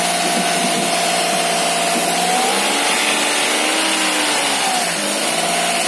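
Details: Ayla car on its first start after water got into the engine: revs climb and drop smoothly, following the throttle with no misfire or knock, then idle holds stable; check engine light cleared, sounds healthy.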